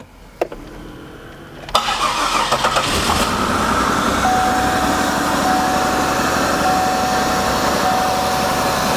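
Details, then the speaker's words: 2002 Buick LeSabre, 158,000 miles, started briefly with no coolant: uneven lumpy idle stumbling about four times a second, at least two cylinders not firing, exhaust smells of antifreeze; combustion gas test planned. "So, currently at least two cylinders are not firing and the exhaust smells like antifreeze."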